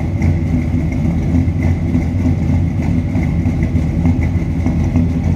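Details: 1957 Chevrolet Sedan Delivery street rod V8 warming up, heard from the rear: slightly lumpy but steady idle with low exhaust rumble, no knocks or ticks; healthy.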